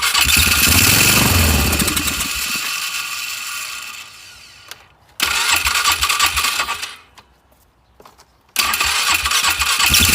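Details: Polaris 500 HO single-cylinder ATV that came in as a no-start, with awful-smelling old fuel and mouse droppings: starts, revs up, settles, then picks up cleanly on each throttle blip; runs and revs normally now.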